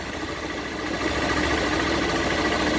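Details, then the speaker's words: Single-cylinder motorcycle idles normally, but a rougher, louder rattle and vibration rise when the clutch lever is pulled in. "ela tá com barulho na embreagem mas só presta atenção Quando aciona essa alavanca aqui"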